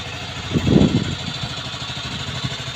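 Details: Aprilia Leonardo 125 scooter after long storage: brief rev blip, then a steady, even low putter settling into idle; running properly again.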